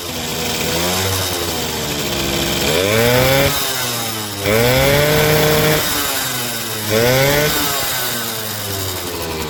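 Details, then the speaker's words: Suzuki RC 100 two-stroke motorcycle after removing the cylinder head and cleaning heavy carbon deposits that had sapped power. Revs climb cleanly with each throttle blip and drop back to a steady idle; smooth, free-revving, healthy, light throttle response. "suaranya halus pernah e mesinnya halus dan suaranya bisa Meraung ya teman-teman dan gas-gasannya terasa enenteng"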